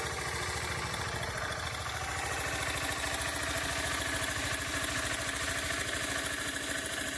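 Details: Brand-new Honda CG160 single-cylinder at idle, noise appears every morning at start: fast, uneven ticking rattle riding over the exhaust beat, like something loose; cause unclear; abnormal engine noise at idle.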